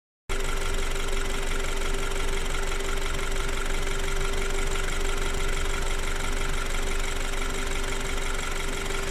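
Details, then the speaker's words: BMW N20 petrol engine, warm, idling steadily with a light clattering rattle over a low hum and a faint tone; the clatter is more noticeable in Drive and less in Neutral, and the owner asks if it is normal. "guys, so this is the warm temperature noise of the engine. When I am putting in drive I can hear a little bit more clattering, let's say."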